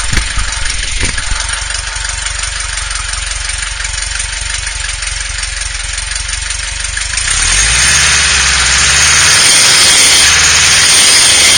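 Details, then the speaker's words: VW with a mystery noise, phone held low beneath the engine at idle. A constant, piercing high squeal holds its pitch; it runs and shifts beautifully, and removing the alternator belt made no difference. Source still unknown. "Okay, Samba folks, here's the mysterious noise that's been driving me crazy. Can't find it anywhere. Definitely hear it more beneath the engine."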